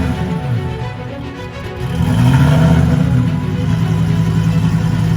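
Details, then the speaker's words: Rebuilt Lamborghini at first start after the engine and transmission were reinstalled, with good oil and fuel pressure: the idle rises and sags rough and uneven. It's hunting because of a throttle body code; the throttle body needs recalibrating. "It sounded a little ugly because it's throwing a code for throttle body. So I gotta recalibrate the throttle body, so it's kind of chasing idle right now."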